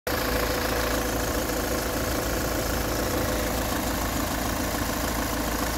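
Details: Peugeot 508 2.0 HDI 163 hp 2011, 224,000 km, warm diesel idle: usual clatter with a faint thin whistle above it, silent when cold, growing after a few km; owner suspects a noisy camshaft chain.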